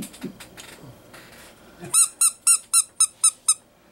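Seven sharp, chirping squeals about four a second as a small DC motor turns, after some handling noise.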